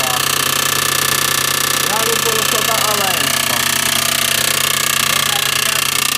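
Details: Audi A6 2.7T, used replacement engine, noise appeared after 50 km, aux belt removed: rapid, harsh metallic hammering about four times a second over the engine. A backed-out, probably untorqued backplate bolt was contacting the flywheel backside.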